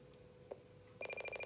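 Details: President McKinley CB radio built-in SWR meter, checked on channel 20: a steady tone breaks into a fast pulsing beep, about a dozen a second, signalling SWR above 1:1.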